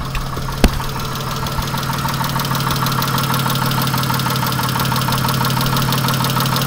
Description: All kinds of noises in this engine sounds like a old diesel